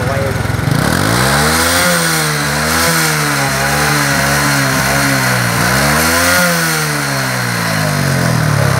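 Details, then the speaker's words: Honda Future Neo / Wave 110 motorcycle engine, smoking black and white: revving unevenly with a rough, rattly clatter riding on it; noise suspected from the connecting rod, piston and rings to be inspected, cause unconfirmed. "thì cái tiếng kêu này là mình nghĩ là do cây dên nữa, nhưng mà để coi coi làm sao ha. Mình nghĩ là giờ cái tiếng kêu dên đó rất là khó chịu."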